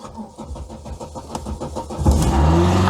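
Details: VW MK2 Scirocco next-day cold start after repair of 3-cylinder running fault; about two seconds of quick cranking, catches first turn and settles into fast cold idle; blue oil smoke follows.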